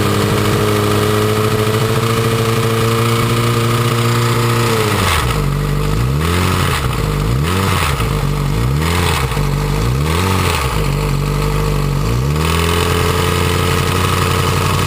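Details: Yamaha R6 after a highside, timing cover off: high idle with throttle blips and metallic chattering as the cam chain jumps at higher rpm. The cause seemed to be the cam chain tensioner, with springs possibly bent or unseated; reassembling it cured the noise.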